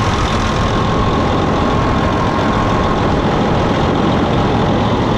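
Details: 2007 Freightliner Columbia with Detroit diesel, after fuel filter replacement, initially hesitant to start: now steady even idle clatter with no hunting, misses or surges; engine sounds healthy and settled.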